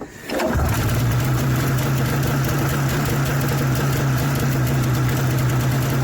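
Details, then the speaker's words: 1994 Yamaha VX500 two-stroke snowmobile, first run after long storage: catches after a short crank and settles into a low, steady buzzing idle with no rise in speed; idle set too low, owner plans to adjust it. "it's idling a little low I should adjust that probably but for now it's all good"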